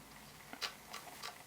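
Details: Canon 6D Mark I after DIY repair of a rain-damaged, stuck front control dial, with its spring refitted and a missing ball bearing replaced by a solder blob: crisp even clicks about every third of a second; detents working normally.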